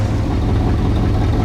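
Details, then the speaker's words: 1963 Chevy Impala wagon V8, first start after sitting about 20 years: low, uneven lumpy idle with stumbling exhaust pulses; misfire, later traced to two plug wires crossed against the 1-8-4-3-6-5-7-2 firing order. "still not hitting I guess I'm going to double check the firing order on here"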